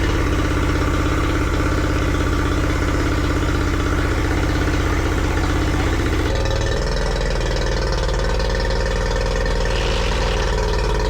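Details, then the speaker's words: Yamaha 40 hp two-stroke outboard that had been cutting out under load with a rough idle, now running after its cracked fuel lines were replaced. A smooth, even buzz with no misses; it revs high and holds under load normally. "Everything was back to normal. Engine was healthy, was going in high revs, not had any problems um under big loads, you know, when when when you're cruising."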